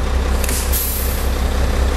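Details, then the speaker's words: Air brake test on tractor-trailer, tractor and trailer protection valves pushed in at 100 PSI: loud hiss as trailer brakes release over idling truck, no leak hiss after; glad hands not crossed, normal release. "I hear the trailer brakes release. The glad hands are not crossed."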